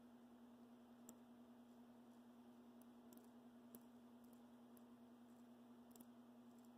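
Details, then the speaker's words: Athearn Blue Box SD40-2 motor after cleaning and flattening brush tips to lower stall current for DCC: faint light irregular ticks as armature turned by hand, brushes crossing commutator bars; normal, unlike the silent untouched motor. "Well, when we take these spring clips off, you pull out the brushes and the springs, and I always clean the tip of the brushes, and it kind of flattens them out a little bit."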